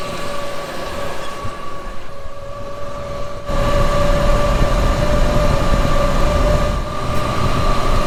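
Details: 1954 Chevrolet 210 with original 235 straight-six and Powerglide transmission, before the V8 swap; steady low rumble that lifts slightly as revs rise, no knocks or misses, great oil pressure, normal running.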